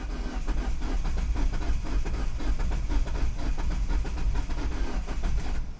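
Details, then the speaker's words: 2009 Mini Cooper S with N14 turbo engine, unknown history, freshly charged battery: steady rhythmic cranking chug, turning quicker than before at about 150 rpm, but never catching; crank no-start, cause not confirmed. "Ooh. It's like Oh, that sounds so much close. RPMs are even going up a little bit more."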